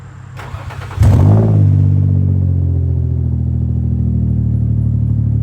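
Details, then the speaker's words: $500 Infiniti G35 with newly installed exhaust, cold start: catches at once and settles into loud, deep, boomy idle while warming up; Y-pipe hanging open, exhaust leak there causing most of the noise. "so the wide pipe is like hanging open and that's where most of the sound is actually coming from right now"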